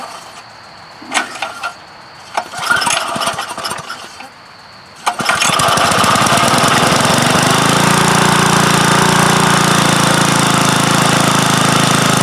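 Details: Roto-tiller engine after sitting exposed for years, fitted with a new aftermarket carburetor, primed with starting fluid, air cleaner off: catches at about five seconds after handling noise and settles into a steady, even run with no misses.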